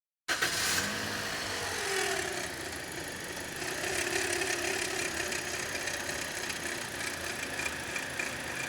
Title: V-Belt Adjuster Bearing Noise 🔧 | Problem Solved ✅#VBelt #VBeltAdjuster #BeltNoise#automobile